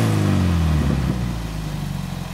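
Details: Toyota MR2 ZZW30 with 1ZZ engine and new homemade TIG-welded stainless exhaust, after connecting-rod bearing repair: deep exhaust note settling smoothly from a rev into a steady, even low rumble with no knocks; healthy engine.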